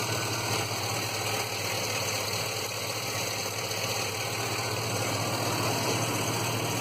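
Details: Rough idle with an uneven, lumpy beat and irregular pulses under a steady hum; P0300 random misfire code, mostly at idle, sometimes hesitating and sputtering on acceleration.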